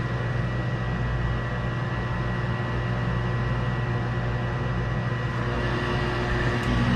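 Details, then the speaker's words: York furnace lighting after a pressure switch repair, with the thermostat turned up: a noisy but steady, even roar and hum of lit burners with no flutter, rumble or cycling; normal furnace operation. "Noisy bugger. It's like the same furnace I got in my house, which is getting ready to get changed to a Carrier Infinity. And we're lit."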